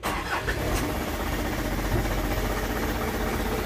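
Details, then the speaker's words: Isuzu Elf Blue Sky truck diesel, tuned by the previous owner: a brief crank, it catches at once and settles into a steady, low diesel rumble at idle with no clear knock or miss. Normal start. "sekarang aku Nyalakan mesinnya supaya lengkap Joe Karena tanpa denger-denger ini Hai dengar suaranya nggak ini nggak lengkap"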